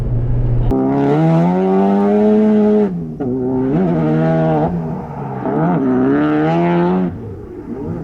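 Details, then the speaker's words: Car driving uphill made a light dragging rattle like dragging zip ties, only with the engine engaged, gone with clutch pushed in; note rises and falls with throttle. "So we were driving up the hill, of course my GoPro wasn't going, and all of a sudden the car started like kind of sounded like it was dragging zip ties, but only when the engine was engaged. So if I pushed the clutch in, it didn't make that noise."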